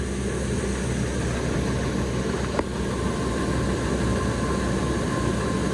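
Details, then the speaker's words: Ford F250/350 Triton V10 at first start after exhaust leak repair (new manifold gaskets, studs and Y-pipe refitted): steady even idle under a loud rush of cooling-fan air, no ticking or puffing from the manifolds; normal idle. "Like you hear the fan spool up more than the truck. You just hear a bunch of air."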